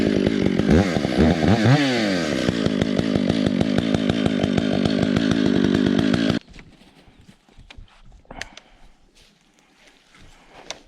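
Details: Stihl MS 461 with Westcoast Saws dogs, bark box and Maxflow air filter, limiters removed, retuned, still breaking in: screams at high revs with an uneven burbling stutter before dropping to idle; deliberately set rich, four-stroking.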